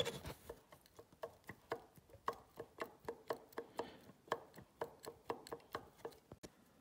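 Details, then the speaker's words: Husqvarna TE 610 (2002) engine torn down, connecting rod rocked by hand with about a millimetre of play: sharp metallic clicks, two or three a second; connecting rod big-end bearing play knock. "Asta are aproximativ joc de milimetru stai sa vedem daca puteti si voi sa auziti"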